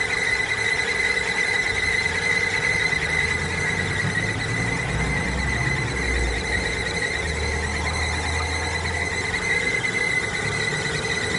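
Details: Timing belt squeal: steady high-pitched squeal holding constant pitch throughout, from the timing belt.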